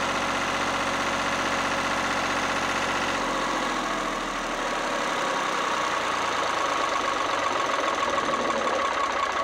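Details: Lister #2 diesel generator just after fuel system plumbing from a former 20-gallon dry-sump oil tank, leak-check run (no drips): steady low thumping that stays even and settles smoothly, no misses or knocks; clean normal diesel idle.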